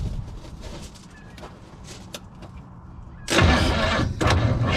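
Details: Freed-up formerly seized Chevy 400 V8 in a 1963 Chevy Stepside, no fuel yet, spark tester fitted between plug and lead: starter spins the engine at an even, quick rhythm with a short pause; cranks freely, no firing.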